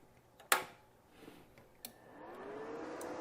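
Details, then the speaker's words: Tecweld MINI-200QI arc welder powered on: click at switch-on, then a soft whoosh rising to a steady hum as the automatic cooling fan spins up; normal. "Now there's a fan right here that kicks on automatically when you first turn the device on."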